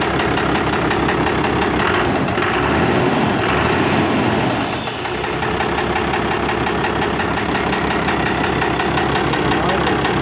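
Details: 1998 Cummins 12-valve 215 hp diesel with P7100 pump, warm and idling: steady clatter with a deeper, loosely regular rod knock underneath, from a worn rod bearing after being run low on oil.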